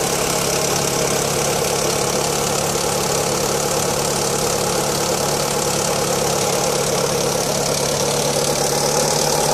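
Steady cold idle with a busy metallic chatter riding over the engine note; an odd noise whose source isn't clear.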